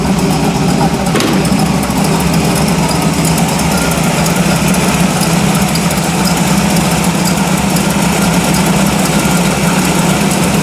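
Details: Chopped Model A hot rod, just converted from 4x2 carbs to dual quads after years of carb trouble, capped headers, after fluid and brake service: loud, lumpy but steady idle with even firing and no knocks or misses; normal idle.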